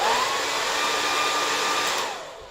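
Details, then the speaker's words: Sembo hair dryer: a steady high fan whine that drops away as it shuts off, with thin airflow; with too little air intake the heating element reaches its maximum temperature and the dryer cuts itself off. "لہذا، مزاحمت اس کی زیادہ سے زیادہ سطح تک گرم ہو جائے گا. پھر خود ہی بند ہو جائے گا۔"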